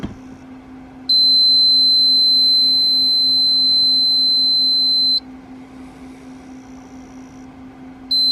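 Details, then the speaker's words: Giandel 1200 W inverter powered from a Rav4 Prime, after running about 900 watts charging a motorcycle battery: high steady beep held about four seconds, a pause, then again over a faint hum; overload alarm persists after disconnecting load and restarting, inverter likely broken. "Okay, turn it back on. Nope. Still says overload. What could be the problem? I think I broke my inverter, guys."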